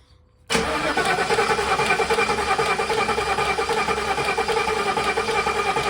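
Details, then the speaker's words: Coyote-swapped 2014 Ford Expedition, first start attempt: won't crank on the key though the starter relay clicks. With the starter jumped it cranks steadily at about three pulses a second with no fire. "Well, I'm a little bit of a loss here because it won't crank with the key when everything is identical on the body connector. I can hear the starter relay clicking in here."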